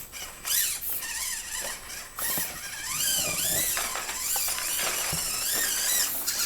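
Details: SCX24 JLU crawler with OGRC CVD axles, 11% front and 33% rear underdrive gears, stock knuckles reinstalled to cure full-lock binding that stalled the motor: motor whine rises and falls smoothly with throttle, no clicking or binding. Normal drivetrain running.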